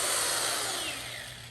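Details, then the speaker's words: Restored 1960s Shop-Craft Model 9742 two-speed electric drill test-run after rebuild: smooth high whirr winding down evenly, no rattle, knock or grind; doesn't shake, still tight; normal run. "Yeah, let it run for another couple seconds. It doesn't even shake. It's actually in good shape. It's still tight."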